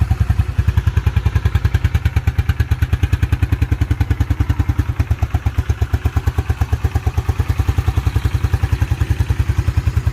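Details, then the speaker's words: 1987 Yamaha Moto 4 YFM-350ER 350 single-cylinder ATV, after running through the gears; crisp even thump about ten beats a second, no misses or knocks; starts right off every time; healthy idle. "really nice running atv sounds really good that thing literally starts right off every time it's amazing"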